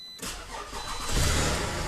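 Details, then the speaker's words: Toyota first start after sitting about a week, low on coolant, listening for previous timing chain rattle: quick crank, catches cleanly and settles into an even, smooth idle with no rattle; sounds healthy. "oh did you hear that nothing smooth that's what i love"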